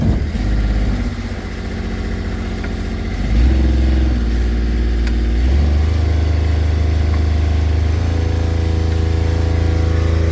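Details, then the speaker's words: Sailboat diesel after replacing the Morse throttle cable because it was not reaching full RPM: a low, steady drone climbs twice, then holds a strong, even beat at full RPM with no stumbling; the tachometer wire may be loose. "now that's full RPM so the tachometer wire might be loose but I'm happy with a throttle cable"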